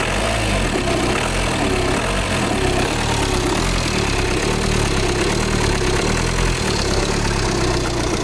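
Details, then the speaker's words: Audi Q5 diesel that came in with a no-start, after replacing the fuel pump and its module: steady, even idle with a smooth low rumble and no knocks or misses; starting problem solved. "Problem solve అయిపోయింది. Vehicle అయితే start అయిపోయింది."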